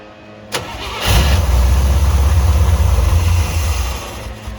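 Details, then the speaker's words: C3 first start in two years, electronic choke wired to switched 12 V: cranks briefly, catches, runs unevenly a few seconds then idle sags while carb throttle worked by hand; owner thinks it needs a carb adjustment, unsure it gets fuel. "Yeah, it just needs an adjustment, I think."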